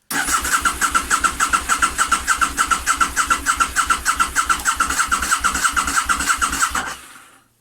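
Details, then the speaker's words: Motorcycle project, crank attempt after the alarm was removed, with the fuel pump heard running. Starter spins the engine evenly, about 3.5 pulses a second for seven seconds, never catching: cranks but won't fire. Cause unknown. "I can hear the fuel pump running and we're getting nothing"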